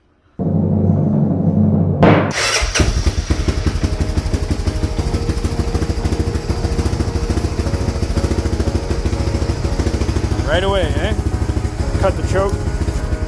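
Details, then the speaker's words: Honda Fourtrax quad after a no-spark fix with a new starter relay fitted, possibly still a little cold. It cranks briefly, catches at once and settles into a steady, even single-cylinder putter with no misfires. Sounds healthy. "right away wow all right guys so that's great dude uh engine sounds healthy hope you can hear me"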